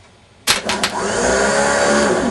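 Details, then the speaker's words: Warn M8000 12 V winch motor tested on direct power, bypassing the solenoids: sharp clicks at switch-on, then an even rising whir settling into a steady spin; motor runs normally. "test sur F il va tourner voilà au moins on est sûr que le moteur fonctionne"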